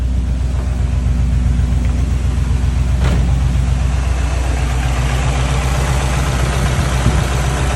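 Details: JDM Subaru WRX EJ205 flat-four idling: dull, fairly regular knock about four per second. Owner unsure whether it is rod knock, piston slap or the timing belt tensioner; cause unconfirmed.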